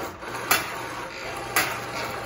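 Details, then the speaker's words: Motor drive on a Brother/KnitKing 270 bulky knitting machine: a low even motor hum with a sharp clack about once a second as the carriage reverses; normal. "this metal wire in the back. That metal wire in the back, I believe, tells the machine whether your carriage is to the left or to the right."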